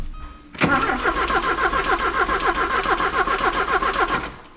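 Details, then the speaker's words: 1984 Porsche 944 sat for a couple of years: even starter cranking about three to four compression beats a second, never catches; suspected failed electric fuel pump or no fuel, gauge reading reserve. "nothing well that concludes our will it run today folks so that mean fuel pump yeah which is really common on you know electric fuel pumps just cuz they sit"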